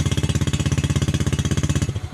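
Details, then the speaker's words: Yamaha New Jupiter Z with slow, delayed starter response, bad-smelling exhaust, heavy fuel consumption, weak power and fouling spark plugs for about a week; engine thumps in heavy, choppy, uneven labored pulses then dies: rough running. "itu dia merebet helm operasikan suara anak kota ya suaranya itu enggak enak banget dan bau banget ini aksi pembakaran itu baunya nggak enak banget di hidung"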